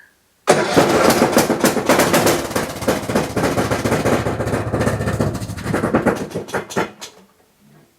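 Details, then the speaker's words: Husqvarna YTH21K46 mower's Kohler Courage 21 hp single-cylinder engine starts with heavy, loose knocking, about three to four thumps a second; the owner suspected a thrown rod, but the whole engine is shifting back and forth. "you heard that terrible knocking noise right believe it or not it doesn't have a hole through the block"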